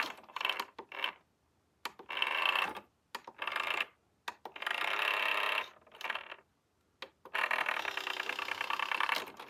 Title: SureFeed Microchip Pet Feeder - Loud noise when operating the lid